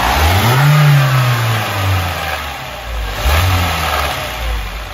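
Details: BMW 116i petrol engine, about 126,000 km, low oil pressure: blipped twice, running rough and uneven as it revs; misfire suspected, not confirmed.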